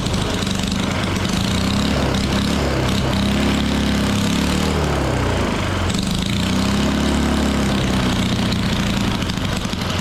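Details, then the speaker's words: Original small single engine of a 1960s Trojan mini tractor, stored about 40 years, running on a donor carburettor in a 35° barn: runs fairly fast with pitch drifting up and down; owner suspects the governor running away. "only slight thing I concerned about is the governor did feel like it was sort of running away a little bit at the engine"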